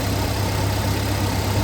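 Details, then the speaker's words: 1971 International Scout 345 V8 with Holley Sniper fuel injection, just after a cold start: steady low idle with light, fast injector ticking over the top, smooth and even; running normally. "You can hear the injectors firing on the sniper fuel injection. It's just amazing how smooth these things run with this fuel injection setup."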